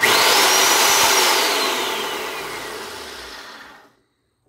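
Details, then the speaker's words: Old Craftsman circular saw test-run after partial disassembly during a bad-bearing repair. High motor whine spools down over about four seconds with a faint rough rumble; otherwise fairly smooth. Bearings are suspected, not confirmed. "a little bit of a rumble on the wind down but other than that didn't seem too too bad"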